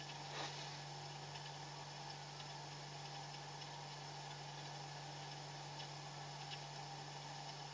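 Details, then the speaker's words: Refrigerator compressor after adding freon following methyl flush; cold spreading down the evaporator; quiet steady low hum, even pitch, no clicks or surging: normal compressor running. "Oke Anda bisa dengar suara sudah freon saya tambahin suara Tetap bunyi"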